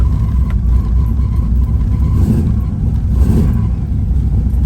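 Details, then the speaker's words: Third-gen Camaro V8, just started after two pedal pumps, owner suspects a bad ground causing hard starting: deep, lumpy idle with an uneven loping beat and stumbles; misfiring, not running on all eight cylinders. "Alright, so she started. Definitely sounds like she's not running on all 8 right now. Oh yeah. Definitely not running on all 8 today."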